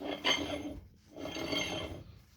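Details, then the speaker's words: 1998–2002 Honda Accord V6 transmission (BAXA/MAXA) during rebuild, turned by hand before torquing: short dry rasping scrapes; normal rubbing of loosely assembled gears until everything is tightened. "you can see it do that it's G to make that noise until you put till you get everything tight"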